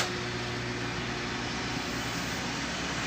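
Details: Panasonic microwave running after repair: steady even hum and fan whoosh, no buzzing or rattling; earlier strange noise was caused by a shorted capacitor; normal running.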